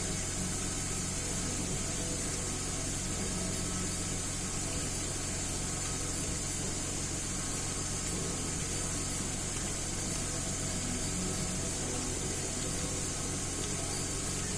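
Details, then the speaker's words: 2010 Mercedes GLK 350 3.5 V6 after swapping and cleaning the exhaust cam timing solenoid (previous P0017 and misfires on cylinders 1–3): steady, even idle with no stumble; all six cylinders firing cleanly, no misfires. "Well, that's nice. Seems to be running smooth on all 6 cylinders, no more misfires."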